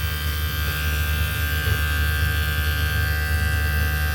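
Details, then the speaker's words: Off-grid solar ice block machine with DC compressor on solar panel and battery, no inverter, producing ice: steady, even low hum with constant electric buzz, no knocks or surging; compressor running smoothly. "So you can hear the sound. The engine is running smoothly."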